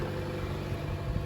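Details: 2014 Chevy Cruze LT 1.4L just after a tune-up with new Autolite iridium spark plugs, hood open: quiet, smooth low hum at idle with no ticks, misses or knocks; the engine idles evenly.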